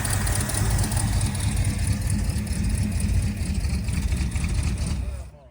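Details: 1979 Ford Fairmont two-door police car, cranked to see whether it will pull fuel from the tank before fresh fuel is added: the starter turns it over at about three beats a second for several seconds and never catches.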